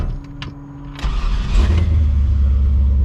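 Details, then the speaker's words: Chevy C10 that missed when warm, started after the old wiring harness was put back in place of the new one; short cranking, then catches and settles into a steady deep idle. "So then I took this little wiring harness, whatever, off and put the old one back in, and it fires up now."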